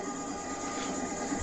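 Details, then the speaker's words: Electric moped hub motor that hummed and wouldn't drive, after replacing failed Hall sensors: smooth even electric hum with steady whining, no rough patches or knocks, running normally at full speed again. "всё работает, всё починено, всё в видео есть."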